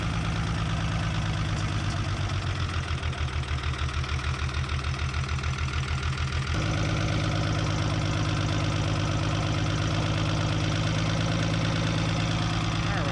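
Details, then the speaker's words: 1975 Chevy diesel stepside after sitting 32 years, second cold start after glow plugs: heavy, lumpy idle with uneven pounding and hard vibration that smooths as it warms; number one still bleeding, tired engine mounts suspected, idle seems set high. "all the vibration smoothed out it vibrates a lot when it's cold there but also the number one was still bleeding"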